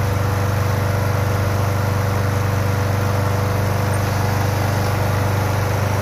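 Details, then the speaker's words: Toro Super Recycler GTS 6.0 self-propelled mower after complete gear drive rebuild for grinding/slipping: steady even drone at constant speed, smooth low thump, no grinding or slipping; fixed. "woohoo we are fixed there we are"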